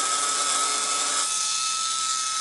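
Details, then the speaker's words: Slot car with a newly changed motor powered directly from crocodile clips after adjusting gear spacing: high-pitched motor whine with a gritty, raspy edge at steady speed; pinion and crown gear mesh runs rough, needs fine adjustment. "take that it sounds a little bit rough at the moment but that can easily be sorted out later on"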